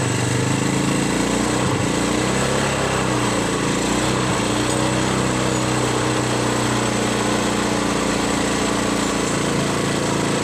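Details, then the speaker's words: Yamaha Mio Sporty scooter with lost compression and hard starting, oil added after long standstill, now running: steady buzzy single-cylinder idle, even beat with no misses. "OK, friends, the position is already running, but I'm guessing it's okay, after a while it will disappear because of the position of the bus hole."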